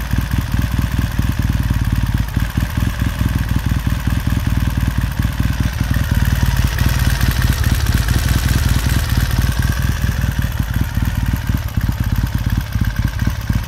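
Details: 1969 Triumph T100C after rebuild, started cold on one kick: even, steady low thump idling cold with light blips, no knocks or rattles; clean, normal healthy warm-up.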